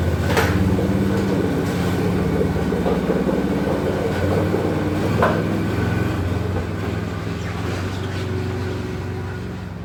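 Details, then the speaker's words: Argo 6x6 with a 16 hp Briggs & Stratton V-twin, after cleaning the carburetor to fix bad surging at idle, choke on. A low, even thrum holds steady for ten seconds with no rise and fall; the surging is gone. "that's about 110 better than it was no surging at all"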